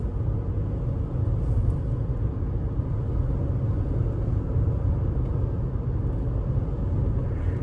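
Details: 2019 Toyota RAV4 on new Michelin Defender2 225/65R17 all-season tires, replacing hard, humming Kumho tires, cabin recording: steady low road rumble with no hum or thump; tires quiet and smooth.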